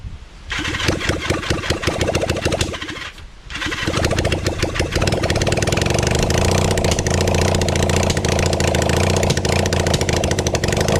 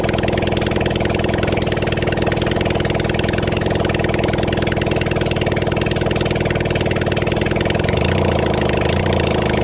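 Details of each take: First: Kawasaki Zephyr 750 during restoration, carbs and exhaust just fitted, with some choke: long even starter cranking with one short pause and no firing; won't start because the tank is out of fuel. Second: Kawasaki Zephyr 750 four-cylinder during restoration, outdoors, just after refitting carbs, with some choke, some fuel and a string throttle: runs by itself at a fast, fairly steady idle with a light uneven patter. Normal idle.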